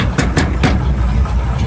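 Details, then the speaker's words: 1971 Chevy pickup with points ignition, power steering and power brakes: a deep, steady V8 idle with an even low rumble and no misses. It runs smooth, though a belt squeal is noted elsewhere. "runs nice and smooth got the you know foger jet on it with Point still power steering power brakes that really runs nice and smooth"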